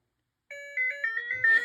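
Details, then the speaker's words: Early Bally solid-state pinball sound board after replacing a suspect chip with a socketed new one; a clear run of bright electronic chime tones steps up and down in pitch without distortion or dropouts; normal sound output, board fixed. "oh okay all right that's awesome"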